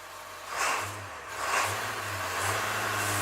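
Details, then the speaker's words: Diesel just switched from diesel to waste vegetable oil through a WVO Designs fuel system with heat exchanger: clatter swells with three throttle blips and settles cleanly; the engine seems more lubricated, a slightly different sound. "It actually sounds like the engine is more lubricated right now. I could be wrong. It does have a slightly different sound to the engine."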